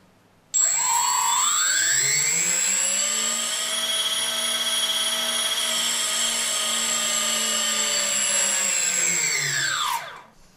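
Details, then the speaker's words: 3D Robotics quadcopter, APM2.5 board, Arducopter 2.9.1, during ESC calibration step: four motors whine up smoothly with throttle, hold even pitch, wind down cleanly; progressive throttle works here, though throttle control fails otherwise. "hear very well that I have a progressive throttle so this is at calibration moment"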